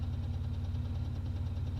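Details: Toyota 3.4L V6 after supercharger install, ticking begins 2–3 minutes after cold start, around 8 minutes in: steady deep idle with quick light ticking, seemingly from the back, stops on revving; suspected supercharger, PCV valve, valve lifters or vacuum leak, unconfirmed.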